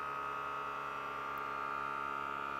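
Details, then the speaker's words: Air Lift WirelessONE air bag compressor on a 2019 Ford F-250 Super Duty, just installed, inflating bags toward 55-60 psi for leak check: steady electric hum with constant mid-pitched whine, no knocks or surging; normal run. "So now what we'll do is we'll air up our bags to about between 40 and 60 psi, and we'll check all of our fittings for any leaks. So you can hear our compressor kick on."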